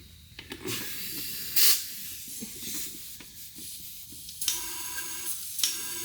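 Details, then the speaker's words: Turbocharged LFX V6 swapped Volvo 240 wagon, engine off, system pressurised to find boost leak: sharp airy hiss in bursts with each pressurising; both wastegates leaking, problematic one suspected leaking past its stem. "those are definitely leaking so the gate our problematic one must be leaking by the stem out of that"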